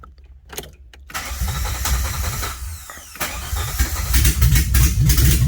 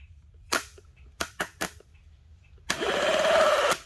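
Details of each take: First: 1981 DeLorean after starter diagnostics, alternator wiring disconnected: a few quick cranks, then engine catches cleanly and settles into steady even idle; normal start, problem solved. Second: 1981 DeLorean starter with jumper cables: several sharp sparking snaps, then about a second of starter spinning with rising whir; engages only when jumped directly, so owner suspects the solenoid. Engine turns freely.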